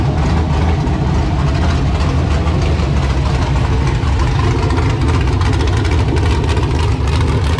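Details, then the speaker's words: LQ9 V8 with Texas Speed Magic Stick 4 cam on a run stand, Holley Terminator X base tune, first runs before learning: deep, steady idle with even rumble, no misses, knocks or ticks. "so i recorded a bunch of this before but uh as you can see now it does run it sounds good"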